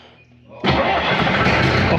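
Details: Diesel restarted after injection pump work: quiet, then it catches at once and settles into a steady clattering run; starts readily, runs better and smokes less than before.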